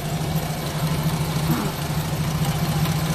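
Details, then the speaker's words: Daihatsu Charade that was hard starting and not drawing fuel, now fed by bypass with premium gasoline after distributor connection was retouched: steady low even idle with no misses or stumbles; engine now runs fine. "So ngayon okay na siya. umaandar na."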